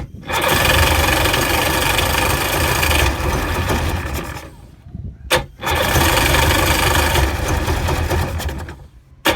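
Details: 2000 Sea-Doo GTI that slowly bogged down and died: two long bursts of even starter cranking, and the engine never catches. It has spark, the carburetor was rebuilt and the fuel selector changed; the cause is unknown.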